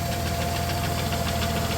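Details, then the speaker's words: 1993 Plymouth Grand Voyager SE after 18 years sitting, oil pressure good; fast light ticking over rough idle matching engine speed, nothing rubbing underneath; owner suspects camshaft getting eaten up; valvetrain ticking. "oil pressure looks good still making a clicky clacky but take a look under here I don't see anything where it's rubbing or making noise"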